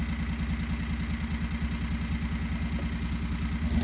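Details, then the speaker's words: 670cc Predator V-twin in a Renault, governor removed, new exhaust fitted, mixture slightly lean: steady even chug at a brisk idle with no stumble; normal high idle because the compression relief mechanism stalls the engine if idle is set lower. "so the idol on this engine is a lot higher than what you'd expect on something like a Harley engine and there's a reason for that"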